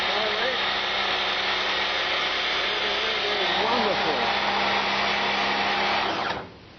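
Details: Domestic Karcher high pressure water cleaner, mains powered, after fixing its leak with replacement part 9036703: steady hissing rush over a constant hum, even and unbroken until trigger release; spraying normally without faltering.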